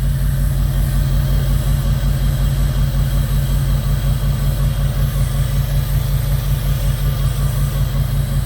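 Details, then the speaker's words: 2002 Jeep Grand Cherokee 4.7 HO V8, coil melting problem: steady idle with regular stumble evident in exhaust; clear misfire on cylinder 3, code for cylinder 3 coil primary circuit, a wiring fault. "Still has a very clear miss on cylinder 3."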